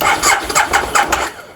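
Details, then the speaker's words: 2002 Aprilia SL1000 Falco V-twin, 3,500 miles, sitting 21 years; first turnover in 21 years after remote button enabled ignition. Starter spins in even beats, never catches, no fuel pump heard: cranks but won't start. "that is the first time this has turned over in 21 years. I can't hear any fuel pump going, to be honest."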